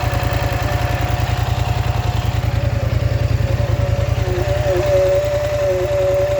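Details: Polaris Scrambler XP 1000 S: steady rapid engine pulse with faint tone rising and wavering above it as revs climb; odd noise, cause unclear.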